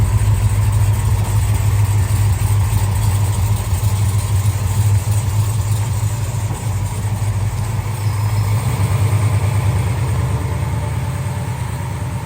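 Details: 1968 Dodge Charger V8 after clamped X-pipe exhaust leaks were welded up and tightened: deep, even idle burble with no puffing or ticking at joints, quieter in cabin, all exhaust exiting tailpipe; sealed.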